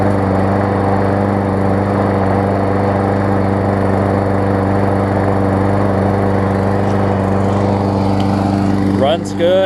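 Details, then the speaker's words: New Murray push mower repaired after box damage, warm start after the part that was hitting was bent back: the small single-cylinder engine holds a steady, even drone with no blade scraping, running normally. "not hit the deck anymore which is perfect"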